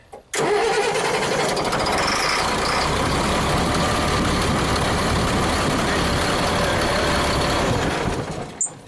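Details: CAT diesel engine on a mobile crane, started from the carrier as the known-good reference, owner reports long cranks from the superstructure: brief crank, diesel catches almost at once and settles into a steady, even run; quick, healthy start.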